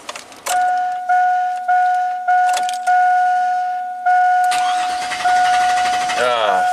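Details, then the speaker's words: 2000 GMC Sierra 5.3 LS V8 with an intermittent crank no-start: a chime, then cranking that fails to catch, though after cycling the key it fires right up. A fuel pressure gauge is fitted and the oxygen sensor is unplugged and grounded. "okay let's shut it off turn it on no way it's fired right up it fired right up this is insanity"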